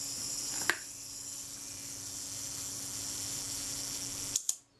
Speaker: What about our self timer? Let's set that. Yeah, it's running down.